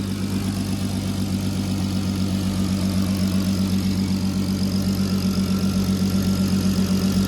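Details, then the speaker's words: VW Golf R32 Turbo (MK5) after MK7 Golf R DSG clutch pack fit and resealing an exhaust manifold leak at the head, running on water coolant: deep, even idle with steady exhaust pulses, no ticks; exhaust leak gone, runs smooth. "Well, that sounds better. I'm going to hear the exhaust coming from the back, not the front, so that's a start. It seems to be running lovely."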